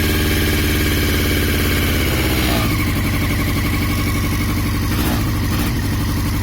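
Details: 2002 Yamaha YZF-R6, 28,000 miles, engine/ignition issues: uneven stumbling beat at idle and light revs with pulses dropping out; misfire, cause unknown.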